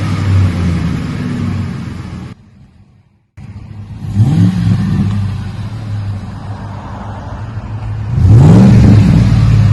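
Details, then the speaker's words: 2008 Ford F150 5.4 V8 with a new cat-back dual side exhaust, 3.5-inch stainless tips, Magnaflow single-in dual-out muffler and factory cats: deep smooth burble climbing cleanly on each rev, no ticks or rattles; healthy, mild tone. "Put a Magnaflow single in dual out muffler on it. Give it a nice little purr to it. Left it all factory up front with the factory cats. Just give it a little mild tone, what the customer's looking for."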